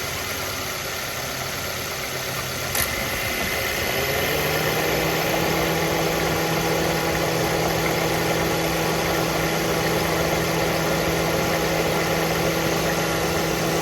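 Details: Mazda Verisa engine catches and settles into idle with a steady knock of about four per second riding over it. Engine knock at idle, source not pinned down.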